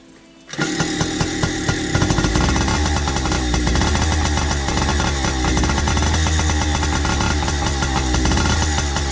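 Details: 2002 Yamaha PW80 two-stroke, rebuilt with new crank, main bearings, jug, head, piston and rings, carb rebuild, left to idle until warm: fast crisp even buzz with no misses or rattles. Normal idle.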